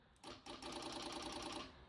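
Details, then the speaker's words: Salvage Vauxhall Astra J with no electrical power and disconnected wiring: fast, even ticking starts when two loose wires from the engine loom touch, possibly a relay or module chattering; cause not found. "I'm not sure if you heard that, but when I touch them two, it's making some sort of noise."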